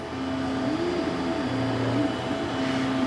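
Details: Anycubic Kobra S1 Combo 3D printer running a test print at quality rather than high-speed settings: a steady motor hum with a singing tone that glides up and down as the head moves, even and smooth; printing normally.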